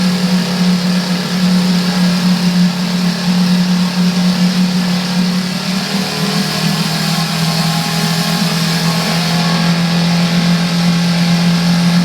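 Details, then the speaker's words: Coleman 5hp outboard at about 2000 rpm, mid-throttle drone with a loose buzzy rattle like a loose exhaust pipe; nothing loose seen with lid off; source unknown. "okay so it did make that noise um you know to me it sounds it sounds like an ex a loose exhaust pipe on a car or something"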